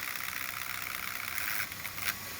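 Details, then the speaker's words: 3D-printed pulse motor, new design, run up from 11 to 12 volts: fast even high-pitched whir with light buzzing, no knocks, spinning hard with a lot of output and slight vibration; normal high-speed running. "There's 11 volts. Yeah, it's flying now. A lot of output."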